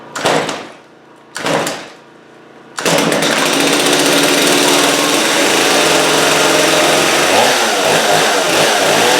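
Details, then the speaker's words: Stihl MS250 chainsaw with a very hard rope pull; hydrolocking from a needle leaking fuel is suspected, and it had not run in a long time. After the carb needles were turned fully counterclockwise and a new spark plug fitted, it starts on full then half choke and holds a steady, high, even rasp; it runs fine. "Because it does start and run, and you just have to be willing to give it a little muscle."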